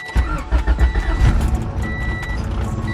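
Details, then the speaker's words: Honda Civic EG after sitting 3–4 weeks: starter cranks, the engine catches and settles into an uneven, lumpy idle with a few stumbles, but it still starts. "Sounds a little rough, but she still starts."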